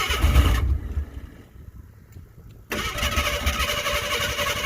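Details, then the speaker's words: Ford Bronco II sitting five years: fires and runs roughly, cuts out, then catches briefly on fuel poured into the carburetor only, because the fuel pump is not delivering. "fire it up it's only running on the fuel that I jumped in it"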